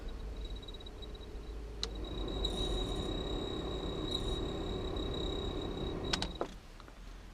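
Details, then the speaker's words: 1995 Ford Transit Mk5 camper van heater blower, radio off: steady high-pitched squeal over the fan's whoosh; owner suspects dry motor bushes/bearings, planning to oil them before seizure. "right classic Transit mark five problem off the radio so you can hear it squeaky fan well it"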